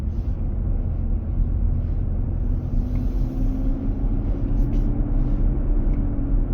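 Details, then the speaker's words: 2023 Nissan Armada, 4k+ miles, driving at about 95F inside, intermittent almost daily: heavy low roar with a steady hum that builds and holds. Dealer later confirmed the fan clutch engaging to cool the engine. "the same path, but the noise reduced, coming back up again."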